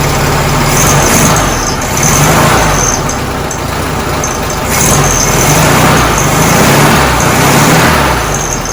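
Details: 1967 VW Karmann Ghia, sitting since 1975, first start after fitting a new starter and cables: engine runs with an even, steady low rumble, no knocks or grinding. Healthy start and idle.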